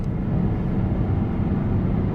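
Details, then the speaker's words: 2011 Peugeot 508 GT 2.2 HDI diesel, 200 hp, at full throttle on road test; steady low drone with no turbo whistle or spool, engine labouring, feels like a weak 2-litre. Underboost; turbo later judged faulty from live data. "I can't hear any whistlings as if you have a boost leak or something like that I just cannot hear the turbo working"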